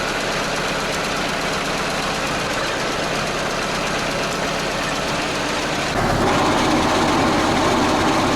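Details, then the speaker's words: T-74 crawler tractor diesel restarted after trouble while driving, with free play felt and something possibly jammed inside: an even clatter with a harsh knock, cause unknown. "Слышите, какой-то звук нехороший, и в чем причина, может быть, я даже и не знаю, если честно."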